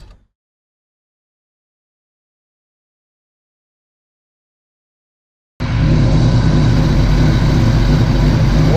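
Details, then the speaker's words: Big-cam Fox-body Mustang LX after surging-idle fix by resetting timing, TPS and base idle; engine settles into a deep, even lope at about 900 rpm with headlights and A/C on, no hunting: normal idle. "guys as you can hear cars running really good I'll show you a C's on headlights cars idling about 900 rpm"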